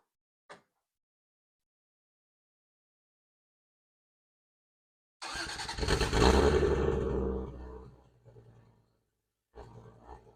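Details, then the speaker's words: Toyota Cressida with 7MGE engine, no catalytic converter and exhaust rotted off before the muffler: a cold start, not revved, that barks loud and raspy into a deep, half-straight-piped idle. "As of right now, it just doesn't have a catalytic converter, and it's kind of rotted off before the muffler, so it's like half straight pipe. It's pretty tame, but I'm going to start it up anyways."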